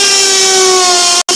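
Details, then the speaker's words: Brad point drill bit gripped only by its shank end in the chuck, at the high speed setting drilling a hole on a tapered scroll saw castle: steady high-pitched ringing whine with strong overtones and reverb, chatter from the shallow grip. "in the chuck there, and that's why it's making that noise. You're getting a little bit of a reverb off it."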